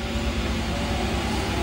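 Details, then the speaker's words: Diedrich C45 coffee roaster with just over 427 hours since April 2003. Start Roaster switches on all the roaster and afterburner blowers, giving a loud, steady rushing roar with no knocks or squeals. Normal blower operation. "The Start Roaster button cuts on all the blowers for the roaster, the afterburner."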